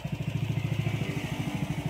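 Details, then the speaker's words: Yamaha Nmax v2 after engine refresh, tensioner and magneto replaced (crankshaft shaft was scored): steady low putter about twelve pulses a second, no knocking or rattle; old noise gone, smooth idle. "So wala na yung dati niyang tunog. May sa dati. Saan? Wala yan. Tahimik na siya."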